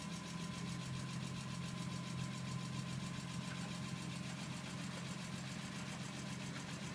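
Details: BMW E46 M3 at idle with a fast, light ticking of a few taps a second; suspected valve train tick needing valve adjustment.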